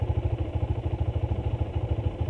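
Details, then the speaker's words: Modenas Z15GT motorcycle, over 9,000 mileage, at idle: low pulsing idle with a steady rattling beat about ten per second; owner calls strong vibration one of the bike's weaknesses. "Satu kekurangan dia. Vibrate dia kuat tau. Vibrate ni cukup kuat."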